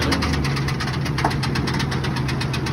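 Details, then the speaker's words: 2001 Ford F-150 Lariat, started with a jump: rapid regular knocking over a lumpy idle, keeping pace with the engine; quieted a little after moving it but knock remains. "Did quiet down a little bit, but does have that knock in it, as you could hear."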